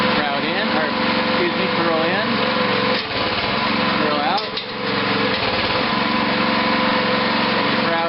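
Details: Homebuilt rototiller-sized towable backhoe with brand-new hydraulic hoses, second-ever start after sitting outside: small engine revs with a steady buzz and rattly exhaust, rising and falling with throttle, no misfire; normal running.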